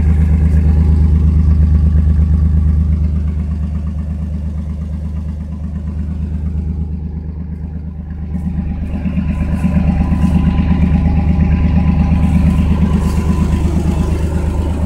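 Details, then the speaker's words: 1992 Chevrolet S10 Blazer V6 at idle: smooth, quiet engine with exhaust puffing and a faint light rattle from the catalytic converter; suspected leaking, bad cat. "It's got a leak on the cat though. You can hear that rattling a little."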